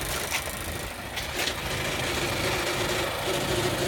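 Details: Mazda CX-5 cold start in late December: a light, uneven metallic rattle about three times a second over the idle. The sound disappears when the clutch pedal is pressed; cause unknown.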